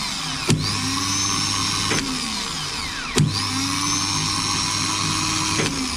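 Two short bursts of smooth high whirring that spin up quickly and wind down cleanly; starter free-spins normally.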